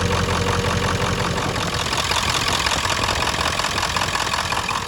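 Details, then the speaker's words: 1996 Ford F-250 7.3L diesel, fully cold after sitting overnight, glow plug relay stuck closed and burned, now disconnected: even, steady diesel clatter at cold idle with no misses or stumbles; glow plugs appear to have survived, normal cold idle. "It's looking good, so it looks like the glow plugs might have survived their their extended stay."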